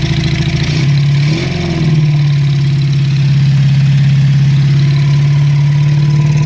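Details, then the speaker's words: Honda CB350 Four project bike at first start-up: lumpy, uneven idle with a hollow throb and early stumble, cylinders dropping in and out, only two working well, noisy top end; misfire, cause not yet investigated. "what runs but it's only running on I think - it's got two cylinders that are working well and some of the others"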